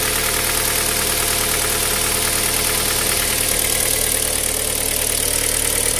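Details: Cold engine at idle: busy, uneven knocking of roughly three beats a second over the running noise; knock on cold start, source not identified.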